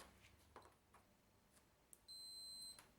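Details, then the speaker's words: Dyson cylinder vacuum on/off switch removed from its wires and tested with a multimeter on continuity: a few faint clicks, then a clean, steady high beep of about two-thirds of a second; continuity present, so the switch is good. "one on each terminal here we have continuity we'll turn it off no continuity on continuity that means the switch is good"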